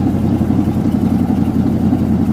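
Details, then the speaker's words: 1988 Chevy Silverado pickup, neglected, fuel-injected, on fast idle just after starting: rough uneven idle with raspy puffing exhaust note; owner thinks there is a hole in the exhaust, also smoky and needing valve seals. "I think there's a hole in the exhaust. Definitely."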